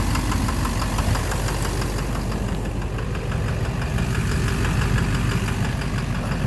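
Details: 2009 Chevrolet Silverado 3500 Duramax LMM diesel dually, 59,900 miles, idling, heard from beneath engine: rapid fairly steady knock over deep rumble; owner suspects bottom end; oil analysis shows no abnormal wear metals; began intermittently at 57,500 miles; cause unknown.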